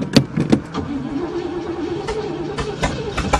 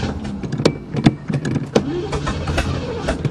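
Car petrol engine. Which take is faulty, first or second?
second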